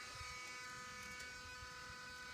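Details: 2016 Ford F-250 Super Duty 6.2 liter V8 after being shut off; faint, steady electrical hum with a few fixed pitches from under the vehicle, no engine running; humming after shutdown.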